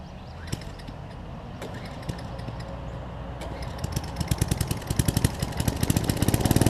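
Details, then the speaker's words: Coleman 1500psi pressure washer, Tecumseh engine with donor carb from junk engine: catches and settles into quick, fairly even putter without stalling; running fine. "I mean this 1,500 psi so it's not gonna be the most powerful washer in the world but as you can see it does have a little bit of power to it"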